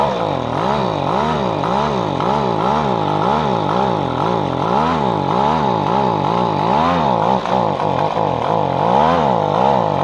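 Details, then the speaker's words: Echo PB-250LN two-stroke leaf blower after replacing broken fuel lines and cleaning non-adjustable carburetor, warmed up: buzzing drone swelling and sagging about twice a second, hunting; owner reports weaker blowing than before, seems underpowered. "to to get warmed up and then it runs pretty good is that running strong enough blowing hard enough in your opinion and is there any way to adjust it"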